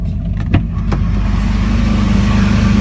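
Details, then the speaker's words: 2003 Jeep Liberty after cam and crank position sensor replacement: steady low idle with an even, smooth beat and no misfire stumble; runs better than before, check engine light off, no smell. Owner avoids revving because it previously died then. "So actually runs a little bit better. The idle's nice."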